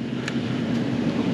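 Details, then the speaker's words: Restaurant three-phase HVAC blower motor running in 19° weather after tripping on overload: steady heavy roar with low drone, sounds strained; amps measured about 10.2–11.1 at 211–214 V, cause unclear. "see if we're overamping because man that I think sounds like it's hauling hauling the goods to to the market"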